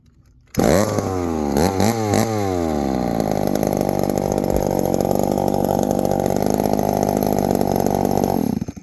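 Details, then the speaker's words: 1972 Remington chainsaw; it starts straight away, revs through a couple of quick blips, then settles into a steady, even buzz with no misses. It has power and runs great. "we got power boys this thing runs great look at this good an old rare chainsaw super rare super very hard to find fires up today"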